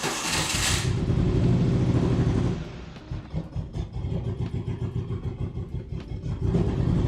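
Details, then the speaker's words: Turbo engine swap car with no idle, fuel pressure at three bars: engine catches, then stumbles in uneven lumpy pulses about four a second and never settles; fuel pressure apparently not the main cause; rough running, will not idle. "I'm just going to try to start it up a little bit still just runs like a [ __ ]"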